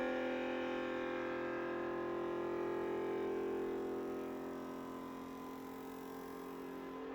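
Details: Sovol SV07 Plus Klipper 3D printer, input shaper resonance sweep past 50–70Hz toward 100Hz: steady buzzing hum, louder and louder as pitch climbs, nothing visible, faint table shaking; normal tuning test.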